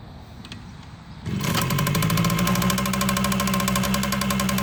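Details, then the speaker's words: 1979 Kawasaki KM100 two-stroke, first start of the day after oil injection work, crankcase loaded with oil: kick-start catches into rough burbling idle about four pops a second, heavy exhaust smoke; over-oiling. "a lot of smoke come out the tailpipe on this bike II it's going to take a while for all that oil to burn out of that thing"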